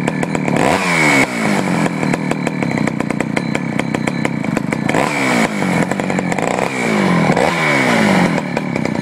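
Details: Poulan 4200 chainsaw, warmed up after a cold start, reported running a little lean: sharp, thin-sounding revs up and down while the bottom low-speed screw is adjusted. Slightly lean mixture suspected.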